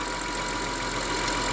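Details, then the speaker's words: 2003 Honda Accord V6 with a replaced engine, whine noticed on startup; a thin, steady, constant-pitch whine above an even idle, expected to grow louder as the fluid heats. Worn power steering pump, replacement planned. "once the power steering fluid gets hotter, it will be more audible. But the wine is definitely there. So I'll use it till it becomes unbearable and then have the power steering pump replaced."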